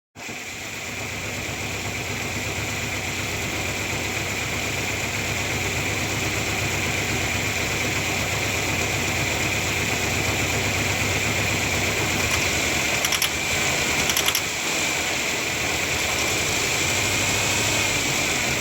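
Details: 1997 Ford Ranger four-cylinder engine with rough idle: uneven, lumpy low beat under a loud hissy top end; cause unknown.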